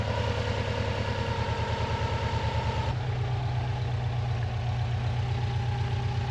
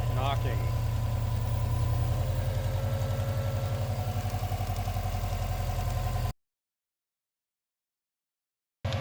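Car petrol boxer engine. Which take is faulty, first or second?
second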